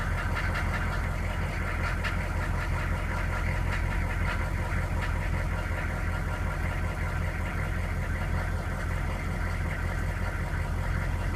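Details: K2500 pickup's 6.5L diesel, running for the first time in a year, idles with a heavy low rumble and a loose, uneven knock running through it.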